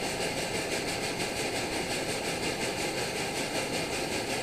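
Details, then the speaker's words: Primus OmniFuel stove on white gas with OmniDawg silent damper cap: steady roar with a soft chug about three times a second from excess fuel flow, easing off as the bottle valve is closed down; not a cap defect. "so to eliminate that just go ahead and close down on the bottle valve just enough see it's slowing down"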